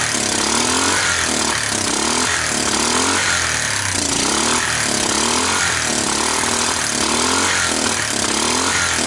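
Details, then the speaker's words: Fire-damaged Kawasaki Bayou 300 single, previously 60 psi compression, started on ether starting fluid and revved in rough, uneven surges with a raspy, hollow exhaust; owner suspects worn out, no compression, valves seem to seal. "so it starts it runs it moves the valves seem to be sealing enough i think it's just worn out i think it just has no compression"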